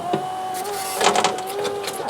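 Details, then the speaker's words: 2014 Fiat 500L salvage car, driver's door electric window tested after reconnecting the battery: motor whirs with a rough, uneven scrape throughout the travel; cause unconfirmed. "yeah scrapey there for some reason oh you know what I wonder if that's I thought I might have some of the broken glass in the runner"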